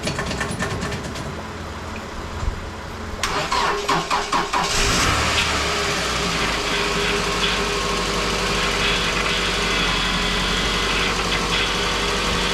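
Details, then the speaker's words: 2006 Scion tC 5-speed manual, after head pulled for low compression and valve stem seal replacement and reassembly: cranks, catches and settles into steady, even idle with no knocks or ticks; coolant bled, at operating temperature. "Alright, so the coolant was bled. It's up to operating temperature."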